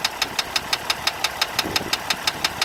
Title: 2015 Jeep Grand Cherokee Diesel Engine Knocking